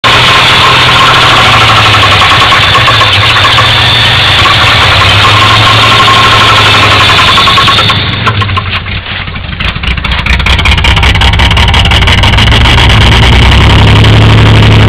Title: engine knock